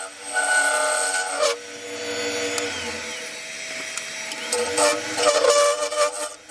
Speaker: still getting horrendous vibration here as you can hear from the [Music] [Music] sound